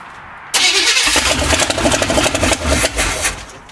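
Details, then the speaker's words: Old GM carbureted V8 on startup, possible water in the fuel: uneven loping idle with a skipping beat about three times a second; a cylinder misfiring, owner to check firing order. "here a misfire going on there and they have to put it in a carburetor"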